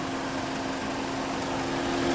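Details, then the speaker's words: 2001-06 Chrysler Sebring 2.4L with overheating issue, after radiator fan assembly work and new fuse, idling about 10 minutes warm, coolant 172°F: steady rushing airflow, even low hum, no rattle or scrape; normal cooling fan operation. "All right, when it was idling for like 10 minutes, I could hear the fan moving already."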